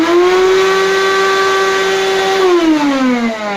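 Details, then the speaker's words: Rowenta 1700 W vacuum cleaner, owner complains it hums loudly and doesn't pull dust: at minimum speed the motor drones loudly with a steady whine, though it should be very quiet there. "Это минимальные обороты, а при минимальных он вообще должен очень тихо работать."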